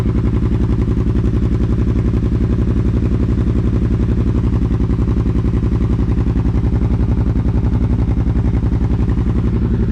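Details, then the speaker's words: Kawasaki Brute Force 750 ATV after installing a BigGun Evo aftermarket exhaust in place of the stock muffler, before adding a tuner: loud, deep, steady exhaust pulses about three to four per second, no miss or knock; runs properly. "i think that sounds like it sounds pretty freaking nice"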